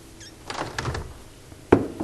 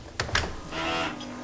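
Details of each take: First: Window after lubricating hardware and hinges with hybrid silicone grease: soft latch clicks and dull thuds as it opens, the former terrible squeak gone. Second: Window hardware: two latch clicks, then a drawn-out groaning squeak as the sash swings on dry hinges; fixed by lubricating the fittings and hinges with hybrid silicone grease.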